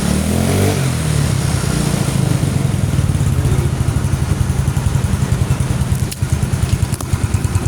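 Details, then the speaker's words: Carbureted automatic scooter (Mio, Beat or Vario carb type) after a fix for bogging, weak pull and hard starting. The carburetor vacuum needle was shimmed with a fuel drain hose. The single cylinder now revs cleanly and evenly with crisp response and no stumble. "Ini udah enak ya, ditariknya udah pas lah istilahnya ya."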